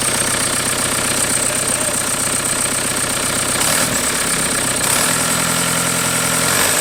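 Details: 1991 Toyota pickup with swapped 1.9 L ALH TDI turbo diesel from a 2000 VW Jetta, first start; pump timing and IQ not yet adjusted. Even diesel clatter at idle, steady firing with a brief note change midway; smooth, healthy running.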